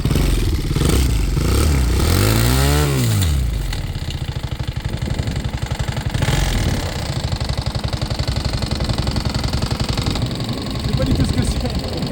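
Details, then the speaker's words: Homemade vehicle engine: revs up and settles into a rough, uneven tapping beat a few times a second when accelerating, not in neutral; noise from the cylinders, cause unknown; white smoke seen from the rear afterward. "Il y a un truc dans les cylindres qui fait du bruit. Je sais pas c'est quoi qui fait ce bruit."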